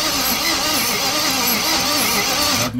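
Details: 2012 Ford E-450 crank no start: long steady cranking with an even wavering rhythm that never catches; scan shows engine head temperature sensor reading -40, suggesting an open circuit or faulty sensor.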